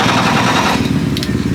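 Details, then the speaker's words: Starting with the clutch pedal pressed, pedal moving with the starter: starter grinds through a rapid, labored chatter; seized throw-out bearing, fingers spinning against it, causing the resistance; clutch had been slipping. "The throw-out bearing is gone. And the fingers are spinning against it and the bearing's not spinning. And that's where you're getting all that resistance from."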